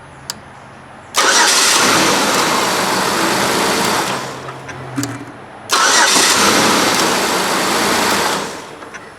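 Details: 2007 Buick Lucerne 3.8 after cleaning a bad main engine ground (suspected cause of stalling, click no-crank and crankshaft position sensor faults): two brisk cranks that catch straight away and settle to an even run; normal crank and start.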